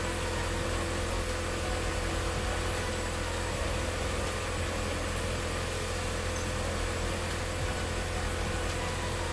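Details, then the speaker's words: 1997 Mitsubishi Eclipse Spyder 2.4 SOHC after timing belt replacement: steady, even idle with smooth low drone, no squeal or tapping, squeaky belts gone; an exhaust rattle heard at certain rpm, something suspected hitting. Normal idle. "all right no more squeaky belts"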